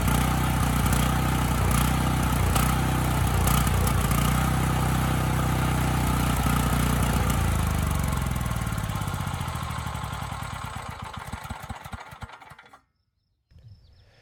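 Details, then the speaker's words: Dirty 5000 W Coleman Powermate generator stored outdoors, after air filter change fixed its run problem: steady, even engine beat with no surging or hunting, running well unloaded and loaded, then winds down smoothly at shutoff; normal. "all right well this one surprised me I honestly did not think changing that filter was going to fix the Run condition but it did I mean this engine's running quite well unloaded and loaded up"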